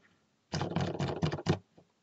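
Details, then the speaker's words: Cherry MX Silent switches fitted with switch films to cure their ticking: five soft, muffled keystrokes with dull thuds and no sharp tick or click. "by the way the ticking also occurred in gate Ron housings and Zelia housings so I assume if I use a switch film there it might improve the ticking as well and just I did a bonus my keyboard now has completely switch filmed switches in it and there's no more ticking"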